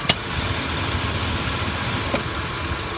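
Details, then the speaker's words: 2002 Dodge Ram 3500 utility truck, 5.9 L V8 gas engine, 122,000 miles, at smooth idle: sharp AC clutch click, then another about two seconds later; compressor short cycling, AC blowing only cool, probably low on Freon (suspected). "see it engages and quickly disengages AC is not blowing really cold it's just blowing kind of cool"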